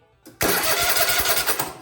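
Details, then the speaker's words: Kohler Courage SV720 cranked again, no fuel, after cleaning cables, hot battery, good solenoid, valves set: strong quick even cranking beats with no drag or hesitation; normal cranking. "that's what we're looking for good connections hot battery good starter solenoid get those wires cleaned up"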